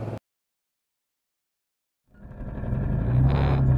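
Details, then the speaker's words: Supercharged 420cc air-cooled hemi engine with methanol injection, idling over five minutes to cool after hard driving, block max 250°F, head 317°F: steady low even rumble, no knocking; normal idle. "i ended up pulling over and we let the car idle for over five minutes to give it a chance to cool down"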